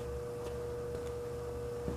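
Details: Frigidaire 5400426 antique fridge after a test charge of two cans of R600 butane, running with no overload relay in circuit while the evaporator gets cold. The compressor gives a quiet, steady mid-pitch hum with no knocks or rattles; it runs healthy.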